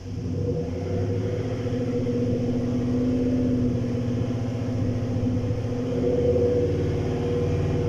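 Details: 2017 GMC Sierra: low, uneven idle with an irregular stumble and lope. No engine codes; live data shows cylinder three misfires coming and going. The fuel pump is replaced as a preventive step, with dirty injectors suspected; cause unconfirmed.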